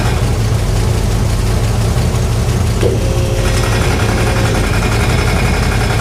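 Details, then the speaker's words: 1968 Chevrolet Impala fastback idling on the lift after an exhaust hanger fix: rough idle with a light regular ticking slap at fan speed; owner suspects the fan, and a shiny rub mark shows the blades clipping the shroud. "that's crazy stuff that's got to be the fan that's got to be the fan doing that"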